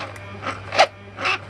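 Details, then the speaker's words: A Mercedes SL600 electronic throttle actuator (old style, plastic gear) is bench tested, driven back and forth. It makes short electric whirring bursts over a low hum, which is normal internal motor noise. "don't worry about the noise that's the internal motor unfortunately"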